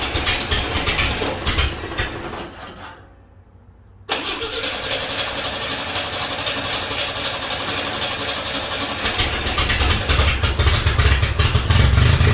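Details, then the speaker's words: 1963 Rambler, after a carb vacuum trick and radiator replacement: it cranks a few seconds, goes quiet, then catches and stumbles into a rough idle with some throttle. A hard start, cause not confirmed. "again here are a few hits of gas ah that should just be a hard start"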